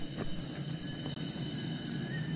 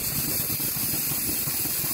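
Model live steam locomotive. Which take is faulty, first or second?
first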